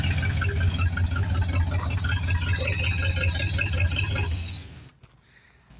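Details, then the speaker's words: 1973 Plymouth Fury III with swapped-in V8 after sitting engine-less 7 years, seems to like lots of timing, belt issue possibly from water or power steering pump alignment: steady, even rumble, no knocks or misses, running cleanly until shut off. "Did get it running pretty good. I guess it likes a lot of timing. Yeah, but it sounds good."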